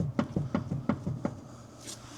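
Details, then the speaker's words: 1971 Mercedes-Benz 300 SEL 3.5 on a hoist, wheel rocked by hand: about seven sharp clunks in just over a second, heavy play from a blown upper knuckle pivot bushing in the front suspension. "That's a lot of play in some sort of suspension component. Not good."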